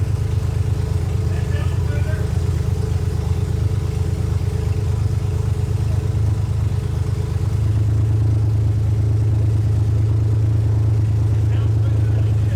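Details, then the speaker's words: 2001 Lexus IS300 after replacing clogged catalytic converters with an aftermarket header and cat-delete O2 adapters, chasing a cylinder 3/4 miss: steady low idle, fairly even with a slight lift partway through and no obvious stumble; idle much improved. "Yeah, it sounds a lot better. So right now the car is idling way better."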